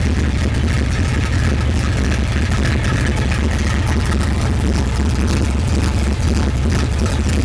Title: red 82 chevy. rough idle